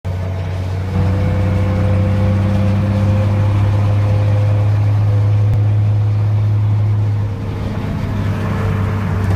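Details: 2nd gen 12-valve Cummins diesel: deep drone with steady droning howl on top under load, easing off; blown turbo bearing, sound only occurs when engine is under pressure by gear or RPM.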